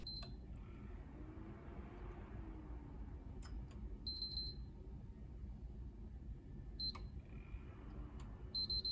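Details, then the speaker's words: Broken PS3 consoles powered on one by one: short high beeps at power-on, later a quick beep burst as the console shuts down with the yellow light of death. "so far all of them seem to have the notorious yellow light of death problem"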